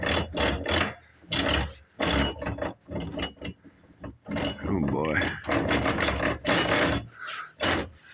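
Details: 2004 Yamaha Kodiak 400 4x4 rear differential turned by hand: uneven bursts of clicking and ratcheting from the gears; spider gear or ring gear suspected worn or damaged. Clicking in rear differential.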